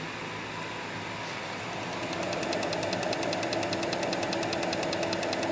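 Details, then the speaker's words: Gas chromatograph TCD heard from the back of the GC: rapid even ticking at about three clicks per second over a low fan hum. This is the filaments actuating, showing the detector is operational. "you hear that clicking that means your tcd is operational"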